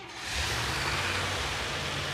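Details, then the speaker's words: Pickup truck carbureted engine started with working choke, old rusty mufflers: catches quickly and settles into smooth, deep, quiet rumble with no exhaust puffing or ticking; normal start and run. "And it sounds flawless. Listen to that."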